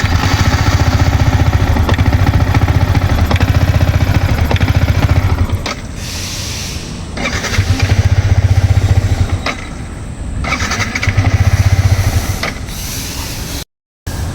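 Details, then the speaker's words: Yamaha MT-15 motorcycle fires and runs a few seconds then dies, restarting and cutting out repeatedly; owner says it also stalls when slowing for speed breakers in second or third gear. Engine stalls after starting, cause not found. "நீங்க பாத்திருப்பீங்க இந்த மாதிரி நான் start பண்ணும்போது app ஆகுது."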